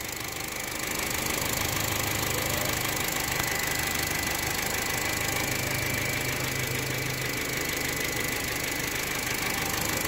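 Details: 2011 Honda City, 230,000 km, knocking after an oil-system flush on a sludged engine; light throttle, warming up; steady idle with light tapping about three per second; engine knocking, cause uncertain.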